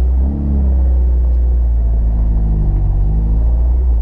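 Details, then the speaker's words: VW Gol after front wheel bearing replacement, driving slowly: low, even road rumble with no growl or hum rising with speed; earlier bearing noise gone. "Aquele barulhinho que a gente escutava do rolamento, ó, a gente pode ver que não tá escutando mais, ó."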